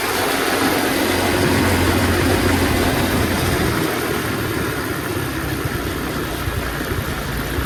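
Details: Revived Tao Tao 125cc ATV quad with a new carburetor, ignition switch, stator and pickup, ridden slowly in the rain. It keeps an even, steady, super quiet engine note under way with no misses, knocks or rattles. Running normally.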